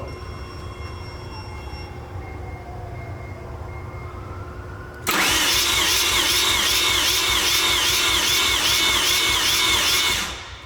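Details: Mazda RX-7 FD, 13B turbo rotary, in a warm compression test with the plugs out on a small battery. It cranks laboriously at about 147 rpm, with roughly two pulses a second and never catching, due to a bad starter. Slow cranking from weak starter.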